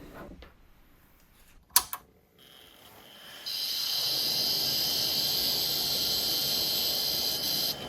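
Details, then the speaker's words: Quantum ProDrive ELS 170MB IDE hard drive after an attempted repair of a stuck actuator arm: a couple of sharp knocks, then a high steady whine as it spins up; heads slamming, not seeking normally. "so yeah there's definitely movement but yeah it doesn't sound good at all"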